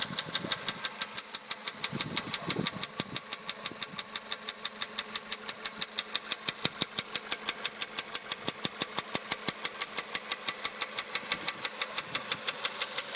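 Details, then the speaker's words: 2013 VW Polo sedan 1.6 CFNA, warm idle, 28,500 km, pistons replaced under warranty at 27,500 km, knock appeared 75 km later: sharp even knock about twice a second over a quiet idle, cause not pinned down; engine knock. "сейчас я запущу двигатель двигатель у меня уже прогретый и уже сейчас слышен этот стук тук вот такого плана"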